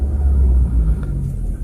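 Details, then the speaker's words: Used Nissan Grand Livina at 146,000 km, revved after starting during a pre-purchase check: deep rumble rises and settles smoothly with no stumble or hesitation; RPM normal. "RPM-nya juga nggak ada ngadat ya, normal semua."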